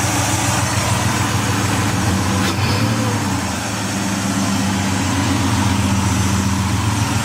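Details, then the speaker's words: Ford Escape XLT 3.0L with rough idle, in park after fitting remanufactured MAF, reinstalling Bosch O2 sensor and disconnecting battery: faint light tick over a steady, slightly uneven low rumble; ticking source not identified. "Let you hear the ticking if it's still doing it."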